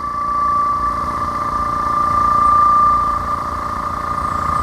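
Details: No-name "Rooty Tooty" air compressor filling its tank: a steady, even hum with a clear tone and no knocks or rattles, little vibration; a healthy compressor running smoothly.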